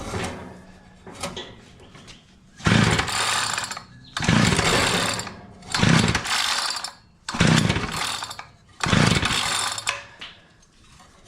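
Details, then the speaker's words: Curb-found Mantis-style tiller, two-stroke Tecumseh engine, choke at half position, before carburetor work: five hard pull-start bursts, sputters and spits but never catches; starter rope then fails, recoil dogs need cleaning; engine fails to start. "Tell you what though, she is trying to start. I can hear it. It kind of spit a couple of times."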